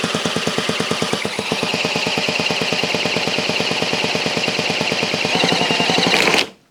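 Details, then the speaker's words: Cyclemaster Rabeneick in-wheel two-stroke, freshly rebuilt after a barrel/piston ring problem, drill-started on a heavy premix, no exhaust fitted: loud, sharp, very regular popping, steady run before cutting out. Normal running. "will be a bit loud because there's no exhaust on, and hopefully it will fire."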